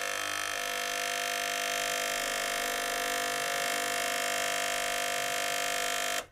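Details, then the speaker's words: Gaggia Cubika espresso machine heats but delivers no water or steam; vibratory solenoid pump gives a loud, steady, high-pitched buzz with no suction, then cuts off. The pump has lost its prime and is running dry. "It appears that we're not getting any suction. This has a solenoid that I think just goes in and out and attempts to push the water through in like tiny stages into here."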